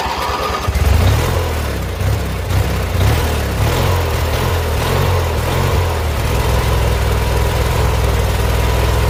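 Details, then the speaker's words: Old twin pulled from scrap, running rough: coughs and stumbles unevenly, faltering low thump settling into shaky run; owner suspects carburetor issues, probably the vacuum-operated fuel pump mounted at the carburetor, which had failed before. "All right, we got carburetor issues. Probably the fuel pump."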